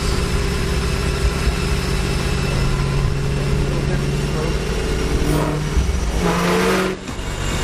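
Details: Supercharged Ford GT500 on dyno after header install, 93-degree room, making about 716 hp: deep steady V8 drone rising in pitch under load then dropping off cleanly; healthy blown engine.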